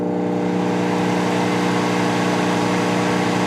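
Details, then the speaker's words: 1988 Magic Chef microwave with Panasonic magnetron, 30-second test heating water at 69.8 degrees: loud steady deep buzzing hum with vibration, water not heated; owner suspects magnetron not outputting anything. "not sounding good i don't think the magnetron's outputting anything"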